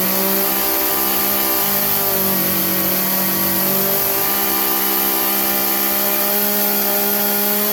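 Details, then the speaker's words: Craftsman chainsaw that bogged under load, after turning the carburettor high-speed jet about three-quarters of a turn clockwise: steady, even high-revving two-stroke scream with no bogging or surging; holds full speed cleanly. "anyways that you could hear the difference in it running high speed prior to and afte"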